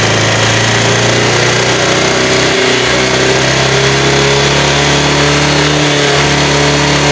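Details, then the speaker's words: Honda Vario scooter killing plugs within about a week. The catalytic converter is clogged, so exhaust backs up and the oxygen sensor misreads, giving a wrong mixture. The engine note stays a flat, strained drone and cannot rev freely under throttle. "macam itu tidak bisa losos ya tidak bisa teriak jadi sudah paham ini ya"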